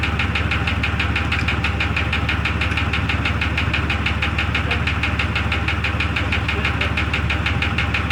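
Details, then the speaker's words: 2002 Jeep Grand Cherokee Laredo at idle: sharp even tapping about three per second; owner suspects a piston or valve, unconfirmed. "to me it sounds like it's coming from more back here [Music] it's going to be either one of these pistons or a valve down here"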